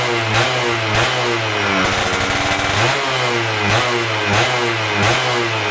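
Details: Stock Yamaha F1ZR 110 two-stroke during carburetor tuning, air screw about 2.5 turns out: a buzzy idle with quick, crisp throttle blips about once a second, rising and dropping cleanly; normal.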